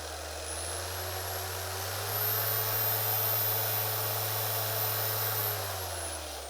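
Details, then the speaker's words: Griot's Garage G8 mini random orbital polisher (5 mm orbit): smooth motor whine climbing to maximum speed and holding steady, no chatter or vibration; normal running. "maximum speed so there's there's no there's no chatter there's no vibration"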